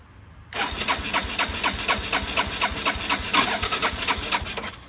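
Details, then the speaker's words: 1981 Yamaha SR185 single-cylinder, original TCI, aftermarket carb, no choke: rapid even cranking about four beats a second with sharp pops, never catching; backfire from intermittent weak spark caused by faulty original TCI ignition box, before Ignitech replacement. "And that seems to be pretty ideal of what has been going on when it doesn't start. Gets a little backfire. Yep. And that's usually the result I would get with a weak spark."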